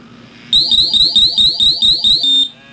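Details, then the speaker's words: GasClip MGC IR pump gas monitor, pump block test by finger over inlet: about nine quick shrill beeps over two seconds then silence; pump block alarm, cleared by power button. "To test this, all you have to do is place your finger over the opening and the monitor will go into alarm."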